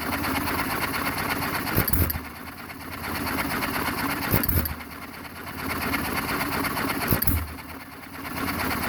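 A firing burst roughly every two and a half to three seconds, then quieter coasting between; the hit-and-miss cycle is steady and healthy.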